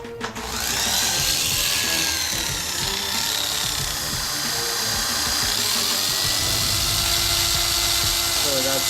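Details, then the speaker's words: Oster A5 Turbo 2-speed hair clipper running super loud with harsh high-pitched buzz and clatter, from play in worn link and lever; quiet when lever held, repair needs new link and lever. "super loud. You can tell there's play in the link and the lever because when you hold the lever, it doesn't make noise."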